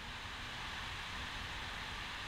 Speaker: all you just hear is noise the hiss I'm not using a heat sink on this one because I'm running at low voltage and there's no real output signal